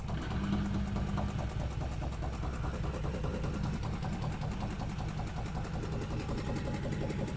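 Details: Washing machine running: heavy low rumble with loose, irregular thumps about two or three a second; knocking present, cause unclear.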